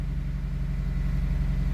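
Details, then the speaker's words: 2003 Honda CR-V (2nd generation), 334 (stated) kilometers, after fuel pump relay replacement cured crank-no-start and stalling: steady, even low idle with no misses, knocks or hunting; normal idle. "on the CRV fuel pump relay so this car has already 334 kilometers but it's still running right"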